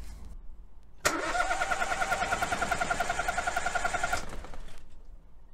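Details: Good engine cranking for a relative compression test with a scope and current clamp: about three seconds of steady starter whine, each compression beat evenly spaced and equally strong; compression sounds even across cylinders.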